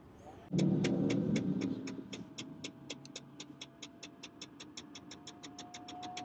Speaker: okay so that works really well